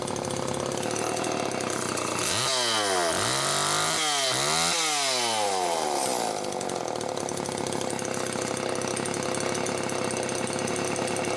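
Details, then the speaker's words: Late-model Homelite Super 2 chainsaw, circa 1992-93, primer bulb, carburetor-mounted oil pump serviced, test run on tripod, muffler close to the mic: revs up and drops back cleanly, then holds a steady high buzz; oil now pumping properly. Normal running. "there see all that oil it's finally pumping the way it should so that's good"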